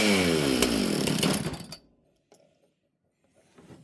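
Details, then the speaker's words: Chainsaw with its idle screw turned down: the pitch sags for about a second and a half, then it cuts out instead of idling. The clutch spring is very loose and needs replacing. "Interesting, friends. It doesn't want to idle. So, this thing's going to need some work like they all do."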